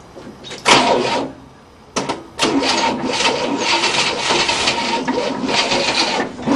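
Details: 1967 Cadillac, not started in 30 years and with old 1978 gas, cranks with a steady rhythmic starter chugging for several seconds but never catches despite a closed choke and added fuel; plugs were dry; a bad starter wire is suspected.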